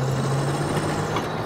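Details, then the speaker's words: 1986 Ford Mustang GT V8 with 40k original miles, idling on a cold day: a steady low whine over the idle that does not change pitch. The owner suspects the fan clutch; the source is unconfirmed. "let me shut that uh shut that down so you guys can hear the motor you hear that whining sound listen"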